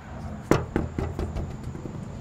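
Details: 2021 Tesla Model 3 aero wheel cover, after bending the retaining springs back out to fix rattling over bumps: run of sharp, solid snaps about every quarter second as each clip seats, cover now held firmly.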